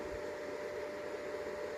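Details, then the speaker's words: Greencell 1000 W hybrid solar inverter: constant airy whir with a steady whine, no speed change, loud like a factory in the garage; cheap stock cooling fans too noisy, to be replaced with better ones. "okay so I have this green cell hybrid inverter it's kind of fine but it's noisy I don't know if you can hear it but it's"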